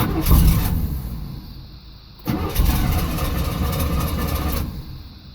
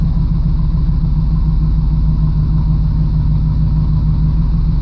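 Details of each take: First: 1989 Camaro IROC-Z, hard start after sitting: long cranking before it catches, then revs surge and sag unevenly; owner suspects fuel pressure bleeding off, no pressure at the rail purge valve; fuel pump audibly priming. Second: 1989 Camaro IROC-Z cold engine starting after priming the fuel system and replacing the fuel filter and pump to fix hard cold starts; settles into a smooth, even low rumble with no stumble, running smoother than before.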